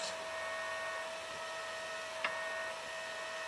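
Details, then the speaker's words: Fostex D1624 hard disk recorder, cooling fan: quiet steady hum with thin high ring and odd tick; fan vibration resonates through the chassis like an acoustic guitar when touching it. "that's the racket it makes I think it's a lot better than always got these dampened in behind here now but at the same time like even even if it soon felts here - it's the last noise but soon as it touches"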